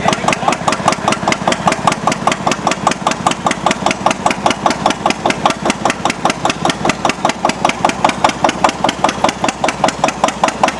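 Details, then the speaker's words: Antique Witte diesel engine generator set, put under about 4,000 W heating-element load (about 50% load) after running with only a 60 W bulb: even solid chug about 150 beats a minute, exhaust note firmer under load. Finding: normal diesel under load. "Really hear the change in the exhaust note."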